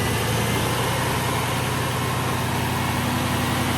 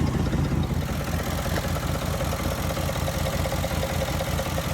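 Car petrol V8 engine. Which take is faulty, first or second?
second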